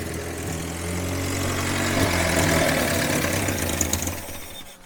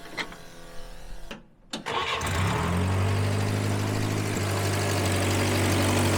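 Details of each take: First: Grandpa's long-sitting 1954 Willys military Jeep, first start after revival: uneven lumpy idle holds a few seconds, then sags and fades out as the engine dies; stalling at idle. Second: Grandpa's long-sitting 1954 Willys military Jeep, first start after revival with coolant, oil and fuel: short starter crank, catches within a couple of seconds and settles into a steady, even idle; normal start.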